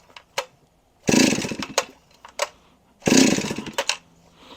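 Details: Vintage Stihl Magnum 038 chainsaw after starter clutch lubed, on a full tank: two short ragged revving bursts that die quickly; fires but won't keep running, carburetor issues suspected.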